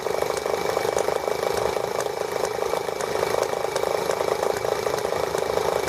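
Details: ET8 model engine, first run since its last carburettor work, main needle about a half turn open. It started very easily; a steady, even high-pitched buzz holds one speed with no misses or surging: normal running.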